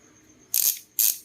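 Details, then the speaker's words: Oil Slick Weapon Beast bicycle hub with the rubber dust cover refitted: three short bursts of crisp, high, rapid freehub ratchet clicking as the wheel coasts. It is a little muted, less crisp than without the seal; normal. "ayan, nabawasan ng lutong."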